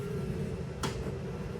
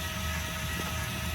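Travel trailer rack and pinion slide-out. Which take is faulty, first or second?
first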